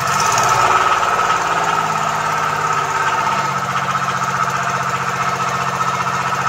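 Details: Komatsu PC20 mini excavator with 3D84 diesel, low power, black smoke and hard starting, runs rough and uneven with hard knocking clatter at steady idle; faulty injector nozzles found.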